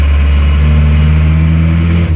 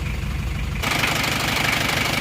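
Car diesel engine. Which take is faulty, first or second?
first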